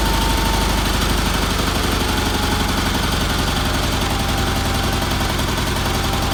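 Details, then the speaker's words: BFM twin engine in a Roper at idle after adding a fuel filter, fuel line and pulse line, with a little carburetor tuning (possibly weak fuel pump): even, smooth rhythmic putter with no knocks or misses; running well. "I'm very happy with that motor runs good had to do a little tuning on it"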